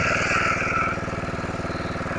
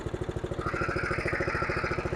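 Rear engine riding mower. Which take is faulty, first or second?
second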